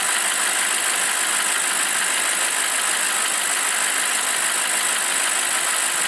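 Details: BMW 745i E65 V8 after a 2°C cold start whose clatter disappears after 1 min 20 s: warm, steady, even hiss-laden idle with no ticking or knocking; smooth and healthy.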